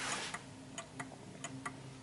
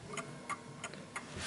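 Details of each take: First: 1950s Smiths Enfield striking mechanical mantel clock, adjustment taken off at the bottom: ticks come in uneven long-short pairs instead of an even tick-tock and the clock then stops; out of beat, needs adjusting for the surface it stands on. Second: 1950s Smiths Enfield striking mechanical mantel clock, set level and balanced: crisp, evenly spaced ticks about three per second with no limping beat; the clock is in beat and running properly.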